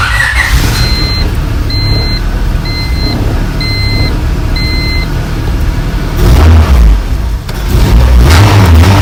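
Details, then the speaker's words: Honda EM1 after engine installation, first start: steady even idle with dash chime and a couple of brief revs, raising idle toward closed loop; runs fine. "and it's idling like at a your normal like idle, but it sounds like it's coming up right now, so."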